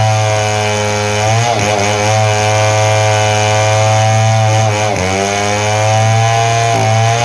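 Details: Model 070 two-stroke chainsaw, repaired after lacking power and backfiring: loud steady high buzz dips and recovers as it loads into the wood; pulls strongly with no backfire or stalling.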